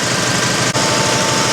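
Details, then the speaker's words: Air compressor after a tank swap and belt realignment, pumping at 120–125 psi toward a believed 150 psi cut-out (cut-in 120); fast even pump chatter with steady hiss, no knocks; normal running. "Well, we're up to 120 pounds, 125 I guess, and she's still chugging."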